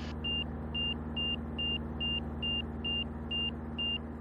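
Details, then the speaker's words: Van's RV-6 with a Garmin G3X Touch EFIS, on approach with flaps down, prop full in, banking into a turn: a high, clean angle-of-attack warning beep repeats about twice a second, faster than before, over a low engine drone. "When I turn the corner and put it in a bank, you'll actually hear it beeping a little more frenetically."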